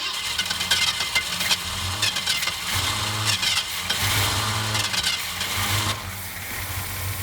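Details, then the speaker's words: 1967 Ford Mustang convertible, first start after 29 years parked, cold snowy day: cranking with ragged firing in uneven bursts, then fading; runs only on poured fuel, not getting gas, fuel starvation. "well we know it's going to run it's just not getting any gas or poor gas fine for a minute okay it runs fine it's just a not getting any fuel"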